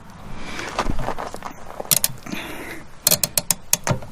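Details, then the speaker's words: Peugeot 106 rear drum brakes after new shoes and drums fitted, handbrake pulled with effort: quick bursts of sharp ratcheting clicks as the automatic self-adjuster takes up slack, which is normal. "entend le rattrapage automatique qui viennent de se mettre en place"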